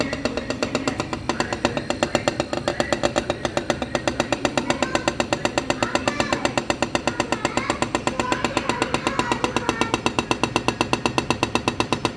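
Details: Refrigerator compressor knocking hard and evenly, about four knocks per second, steady the whole time with no let-up; described as an urgent sign needing professional repair.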